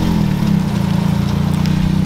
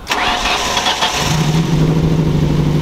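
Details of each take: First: Custom Ford Focus, sat two years, idles steadily and evenly with no knocks or misses after a no-crank fault traced to the clutch pedal switch, bypassed by pressing it by hand; miscellaneous front rattles noted. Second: Custom Ford Focus first start after two years sitting; cranks, catches and idles steadily with light rapid ticking on top, which the owner attributes to a dry top end lacking oil.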